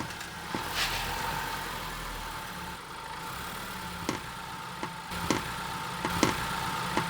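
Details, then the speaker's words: Changan UNI-K, 427 km, mic on aftermarket engine skid plate, car moving off: low idle hum with sharp irregular metallic knocks at take-off and braking; skid plate striking a body bracket bolt. "Ребят, на самом деле звук оченьочень страшный. Он металлический и он более-менее хаотичный. Единственная связь - это когда агрегат начинает стартовать либо потом тормозить."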